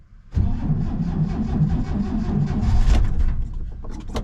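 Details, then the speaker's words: 1967 C10 pickup being revived after a storm, getting a little more gas. The starter churns with uneven chugs as a few cylinders fire, but it never settles to idle. It partially fires but won't start, and the owner suspects the choke. "Oh, that sounded like it was doing something. Oh yeah. We're close. Didn't like the choke, maybe."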